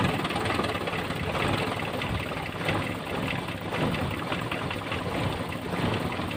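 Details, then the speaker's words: Toyota Kijang carburetor engine at idle after replacing a dirty air filter: smooth, steady, even low rumble with no misses or knocks; the heat felt after a long drive is gone and the engine is cool, running normally. "Ya, suaranya halus kembali, dan panas yang tadi waktu kita jalan jauh tadi hilang."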